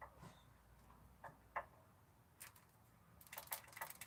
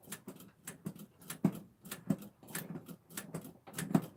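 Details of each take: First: 1984 Ford F-250 4x4 460 7.5L V8 PCV valve removed and shaken by hand: loose, irregular clicks and rattles, moving freely, so it is not clogged with carbon. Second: 1984 Ford F-250 4x4, 460 7.5 L V8, carburetor replacement, after switching to the second fuel tank: slow, uneven cranking about two and a half turns a second, no firing; carburetor still dry, no fuel delivery, while coil sparks good.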